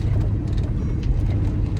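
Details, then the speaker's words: Mercedes W204 C63 test drive after replacing lower control arm (following rack and pinion, tie rods, upper arms, end links, wheel bearing, strut bushings); smooth road rumble, earlier front clunk and creak gone. "you hear it no clunks oh my gosh guys this is wonderful"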